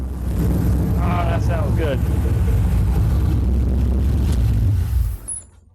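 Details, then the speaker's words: LS V8 idling on a new HP Tuners Core standalone ECU with a stock map, first start, data-logging in VCM Live: deep, steady idle with an even rhythm and no misses, knocks or hunting; smooth normal idle. "here you can see as the engine is idling, you can see VCM Live is data logging all the necessary data. Ah,"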